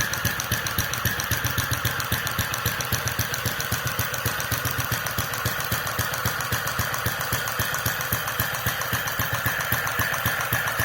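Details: Restored Centaur model engine with electronic gas injection and centrifugal governor, ticking over near 900 rpm: beats steady but uneven in spacing and strength; present since carburettor days, unchanged by mixture or timing; suspected combustion chamber design or governor loop instability.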